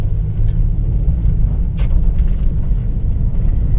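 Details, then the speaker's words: 1991 Dodge Grand Caravan SE after new shocks and brake work, road driving: steady low road rumble with none of the earlier squeaky, clunky noise over bumps; quiet suspension ride. "You can already tell the difference in the way it it uh rides. You don't hear that uh squeaky clunky. Feels feels good with those shocks. Yeah, it's driving great."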